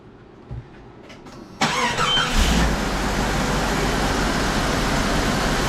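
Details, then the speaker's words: Jeep XJ after exhaust manifold replacement; quick crank, catches cleanly and settles into an even, quiet idle with no manifold ticking; sounds much better than before repair. "And like I said, it sounds a heck of a lot better than it did before. It's quiet."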